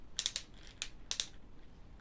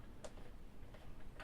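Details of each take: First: Thermomix TM5/TM6 lid-lock mechanism, worked with a screwdriver through the service hole: sharp, uneven clicking and ratcheting, meaning the gear is damaged and skipping teeth (linked to errors C148/C150). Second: Thermomix TM5/TM6 lid-lock actuator turned by hand via the service hole with a square S0 screwdriver: a few light, crisp ticks, no grinding or skipping; healthy actuator, normal lid-lock operation.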